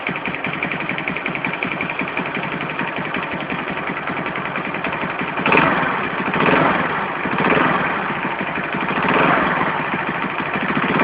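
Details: Alpha moped engine: busy, rapid ticking rattle that swells with each throttle blip, especially noticeable when blipping the throttle; engine knock of unknown source.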